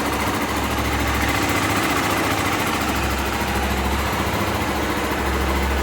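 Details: Honda Twister 250 single-cylinder, first start after repairing an upper-engine noise suspected as cam chain: smooth, even idle with no knocks or ticks.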